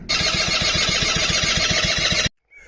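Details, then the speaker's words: Quadzilla Buzz 50 two-stroke quad after rewiring with new loom and switches: starter spins about six even turns a second without firing; plug checked, no spark until a taped-off switch was pushed in. Crank, no start. "I've just took the plug out and checked it. It wasn't sparking."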